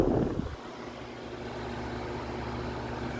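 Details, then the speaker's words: Vornado 280SS 10-inch high-velocity desk fan, mid-1990s, variable speed control turned to 100% full power (about 1.2 A): smooth steady airy rush with faint low hum, no ticks or rubbing; normal high-speed running. "all right see still not quite at high yet oh okay and that is straight up high 100% full power"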